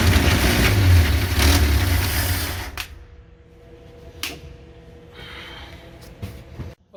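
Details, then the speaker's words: 1966 Chevy G10 van, long-stored, cranking on starting fluid: heavy labored turning at three to four beats a second, fading without catching; owner suspects weak battery or bad starter cranking too slowly. "Be it for our starter. Not quick enough. Really is a two-person job here, I guess."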